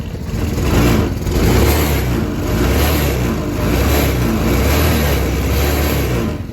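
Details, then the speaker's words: Go-kart small single-cylinder engine in neutral after replacing the carburetor with a new PZ20: revs rise and fall cleanly with the throttle, no misfire or stumble, though the idle is slightly off. "check it out got it running it was the carburetor so uh come up here and there's your throttle"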